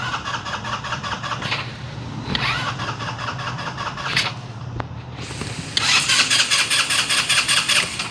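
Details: Scooter engine: repeated fast cranking, a brief catch, then more cranking without a clean start; hard starting, which the owner attributes to liquid gasket maker on the intake manifold failing under intake pressure, replaced with a DIY folder-material gasket.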